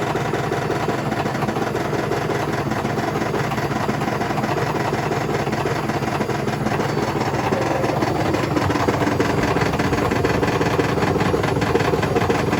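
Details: Hotpoint BHWMXL145 washing machine on a test spin at full speed, heading toward 1400 rpm: fast, relentless hammering and rattling from a badly unbalanced drum, because two drum spider arms have snapped.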